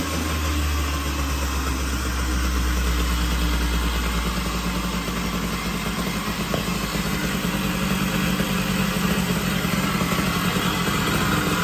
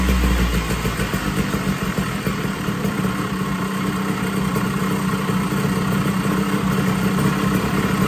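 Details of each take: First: 1980 Puch Murray moped with a Tomos A35 top end, Mikuni VM18 carb and custom Estoril pipe, just after its first start at -7 degrees with the engine super cold: low two-stroke rumble with an uneven beat about three per second; untuned and still warming up. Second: 1980 Puch Murray moped with Tomos TX50 A35 top end, Mikuni VM18 carb and custom Estoril pipe, timing set near 17 degrees, first start after rebuild: buzzy uneven two-stroke note hunting slightly; runs, idle still needs dialing in.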